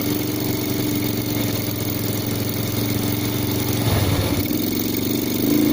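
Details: Yamaha Vega R fitted with a Vega ZR CDI, wired to the white wire from the spool: single-cylinder bike idles steadily, then a brief throttle blip picks up cleanly; ignition working fine.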